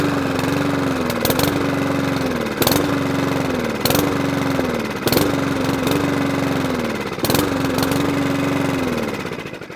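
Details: Mountfield 414 lawnmower, sold non-running, primed but wanting to stop: revs rise and sag in waves every second or so, never holding an even speed; severe hunting and surging, expected to be a carburetor fix.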